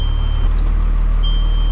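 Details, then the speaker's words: Old Cummins diesel just started at auction: a steady high warning beep breaks off briefly and sounds again over a low diesel rumble, the low coolant level warning. "i like it why are you beeping at me low coolant level i don't care we're not running it that long"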